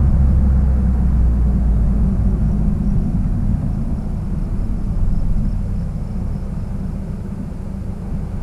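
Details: 1966 Triumph Spitfire, rebuilt 1147cc four-cylinder, driving after fuel system stripped and lines flushed: steady deep exhaust rumble pulling evenly as the car drives off, no misfire or stumble; healthy under load.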